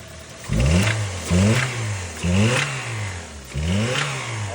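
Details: Toyota Rush petrol engine blipped four times, with a sharp knock rising at the top of each rev; engine knocking.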